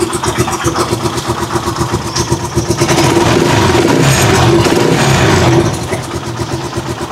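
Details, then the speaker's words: Rusi Chariot 175 trike engine revving smoothly after an oil change to Bajaj oil; steady revs settle back with no misses, knocks or tapping, much quieter than the loud, rough sound it made on the old oil. "Murang-mura na yung mga ka-best friend. Ang ganda ng tunog niya."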